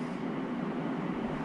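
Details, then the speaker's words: MrCool DIY mini-split indoor unit after fan motor replacement (heat mode, 80 degrees): soft, steady airy hum without rattle, scrape or wobble; whisper quiet again, normal fan operation. "there it goes it's super quiet and that thing's cranked all the way up to 80 degrees and that sounds nice to me it's not making much noise so that sounds great"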